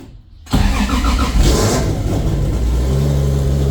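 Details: Toyota 2JZ VVTi JZ swap, running after reinstalling the Land Cruiser clutch pedal, before tune: starter whirs briefly, engine catches and settles into a steady even run with no knocks or misses; clutch works, normal running.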